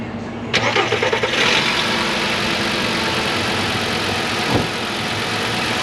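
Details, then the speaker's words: 2010 VW Beetle 2.5 right after new spark plugs and an ignition coil, previously misfiring: cranks briefly, catches and settles into a smooth, even idle with no stumble. "Absolutely no misfires like before. It runs great. It actually shifts really good too."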